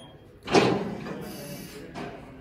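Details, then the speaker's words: Vehicle lift lowering onto its safety locks after the lower button is pressed, with yellow lights going out: a heavy metallic clunk, then a softer second one, as the lift settles normally onto the locks. "wait till the yellow lights are gone and now the vehicle is on the locks ready to be worked on"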